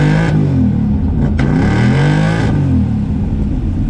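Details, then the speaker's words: Dodge Dart converted to electronic ignition with 0.8 ohm resistor: clean, quick revs rise and fall smoothly with no misfire or stumble; running much happier, free revving normally. "yep so seeming a lot happier we still got to finish mounting everything and you know clean up in here but uh yeah"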